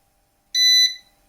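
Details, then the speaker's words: Eaton 5E 850i 850VA/480W UPS with a small laptop load, unplugged from mains: single short high-pitched beep about a third of a second, with some buzzing; on-battery warning. "what I will do now just unplug it and we are on UPS power we can hear a bit of buzzing"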